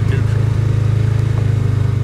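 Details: Polaris Ranger 570 descending a steep incline in low gear, with a little throttle while holding the brake to keep low gear engaged: steady, pulsing low engine drone holding back, no high-pitched whine; engine braking normal.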